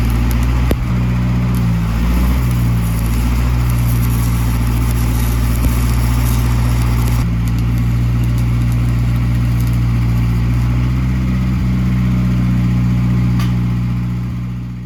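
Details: Old gas-powered Hobart engine-driven welder: deep, steady low rumble holding speed, firing evenly without hunting or misfire before winding down. Runs healthy.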